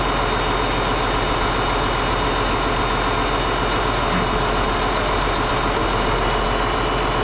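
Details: Caterpillar D8H bulldozer (46A serial, year unknown, No. 28 cable control unit) running after sitting 15+ years, once fuel reached it: steady, even diesel idle with a deep low rumble, no knocks or misses, running good. Normal diesel idle.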